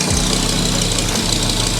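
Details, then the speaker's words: BMW E31 S85 V10 swap, idling just after first start in ten years once fuel pressure made constant: clattery, knocking idle with harsh rattle; owner says sound not very good, cause unknown, throttle pedal not working, no major oil leaks. "it's running it's running now it's gonna get hot how's the sound no not very good we don't know that yet but it's running it's idling no crazy oil leaks"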